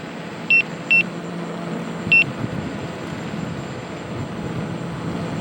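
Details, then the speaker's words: Begode EX-N electric unicycle at about 70.5 miles into a range test, about 79.5 V under load: three short high beeps over riding and wind noise, the low-battery warning as speed is limited. "yeah so i'm being limited to 17 miles an hour now"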